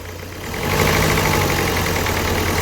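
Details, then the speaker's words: Ford Figo diesel, 94 km on engine, check engine light blinking, code P0203 injector circuit error plus MAP and air mass sensor faults: uneven, lumpy idle with irregular knocking under the clatter; cylinder misfire from injector circuit fault. "इस गाड़ी में problem की ये गाड़ी engine इसका miss कर रहा है एक नंबर इसका सिलेंडर मिस कर रहा है"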